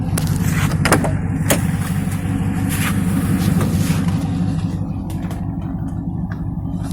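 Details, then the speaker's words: Fourth-generation F-body V8 at idle after replacing a polyurethane transmission mount with rubber, which cured vibration under the seats and console. Steady even idle with deep rumble and a faint remaining shake, possibly from the exhaust. Normal idle. "tells normal now I don't feel good vibrations but you see how she's running she's running like a champ now ain't nothing wrong with her"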